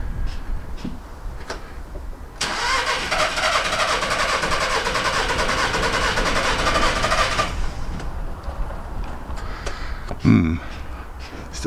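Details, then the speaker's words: VW Caddy van cranked after battery refit and fuel priming: about five seconds of steady whirring cranking that never catches; crank no-start, cause not yet confirmed. "we'll turn it over let's see what we get okay we just going to prime it up a bit get the fuel through it and hopefully it will should starts okay almost let's try that"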